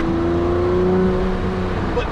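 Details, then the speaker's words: Lamborghini Murcielago Roadster with e-gear transmission, cold weather, accelerating hard in second gear: clean smoothly rising engine tone with no whine, grind or clunk. The awful noise appears only when stopping; a shredded gear inside the transmission is the likely cause. "but then we're in second and everything's fine and I can accelerate as hard as I want"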